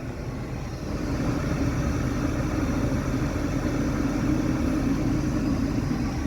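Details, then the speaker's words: 1980-1989 Lincoln Town Car Mark VI automatic temperature control after sensor replacement and cleaning, engine warm: steady fan air rises noticeably as control slides from cold AC to hot; heat blowing; system responding normally. "a little bit of a change in the airflow there, and we definitely got heat blowing out, because the car is definitely up to temperature now."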